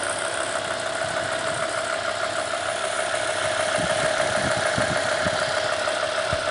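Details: BMW E60 M5 V10 idling with a light, regular ticking, about three ticks a second, beyond the usual injector tick; seems to come from the VANOS area under the front plastic covers, louder on the passenger bank; cause unknown.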